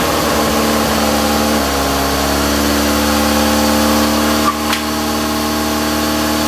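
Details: Toyota AE86 GTS after installing cleaned, refurbished gas tank, new fuel pump and filter, warming up after cold start: steady, even idle, smooth low hum, no knocks or misses, tiny bit smoky; normal idle.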